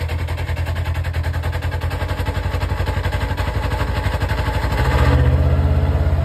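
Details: Polaris RZR, engine running in park with CVT cover on: rough uneven clatter about four beats a second that swells as revs rise; noise from the CVT, cause unknown.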